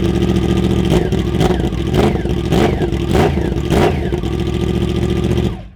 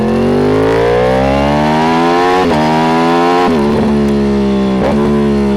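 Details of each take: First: Yamaha R1 motorcycle, cold engine, silencers removed with only the Y-pipe catalytic converter left: sharp throttle blips crack out raw and very loud between rough idle; loud exhaust with silencers off. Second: Yamaha R1 with stock exhausts temporarily fitted while its Two Brothers aftermarket exhausts are off for cleaning; clean, even revs climbing and easing back through blips, smooth and very quiet with no misses or rattles, a normal stock exhaust note.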